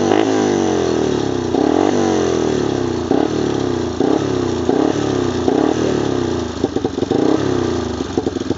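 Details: 1995 Wolverine single-cylinder quad after replacing the rear axle, hubs, gears and bearings and refilling about 320 ml of gear oil: starts and runs loud and steady, throttle blips pick up cleanly. Nothing abnormal.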